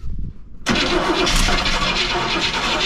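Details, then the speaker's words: Motorhome engine with HEI ignition after sitting over 10 years, cranked on starting fluid: starter churns about four beats a second, engine coughs but never catches; ignition good, fuel starvation. "give her a couple more let's see we got well guys at least we know that it turns over now and it wants to fire we know that the ignition system is good"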